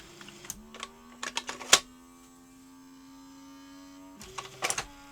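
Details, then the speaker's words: Sony SL-HF950 SuperBeta Betamax (MK1) inserting a tape: clicks, a steady motor whir that stalls, then more clicking; the cassette loader jams, trying to lace the tape before it's fully inserted, with sled issues. "Uh, no. It jammed. Oh dear. Oh, it's trying to lace when it's not fully inserted."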